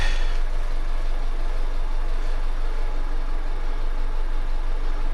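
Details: Honda Civic after a head gasket repair and new coil packs, with no more misfires on the scan, though a leak remains: steady, even low idle with a regular beat and no stumbles or misses; normal idle.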